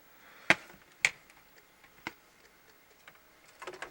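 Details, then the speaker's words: Debug Xbox console with Thomson DVD drive, original retail game disc inserted: sparse sharp clicks once or twice a second over near silence, drive hunting; disc not reading, drive suspected failing. "yeah it sounds like that thompson dvd drive might be having some problems reading the original game disc"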